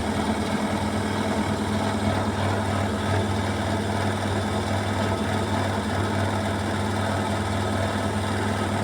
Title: Washing machine Beko WMY81283LMB2 unbalanced loud rattling final spin 1200rpm with water swirl!!!!!!